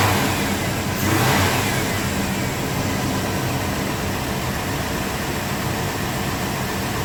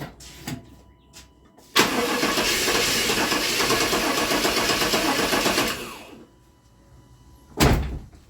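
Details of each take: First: 1997 GMC Yukon 5.7 L V8 after new injectors: catches a sharp snap of throttle, climbs cleanly and settles back to a steady, even run with no misfire or stumble; normal running. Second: Truck with a crank-no-start complaint that is not holding fuel pressure: about four seconds of steady cranking that never catches or fires, then silence. Cranks but won't start from low fuel pressure.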